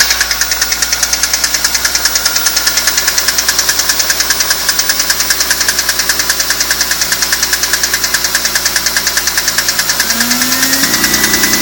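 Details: BMW E46 M3 engine running with a sharp, very regular tick about two and a half times a second; unidentified engine noise, source not pinned down.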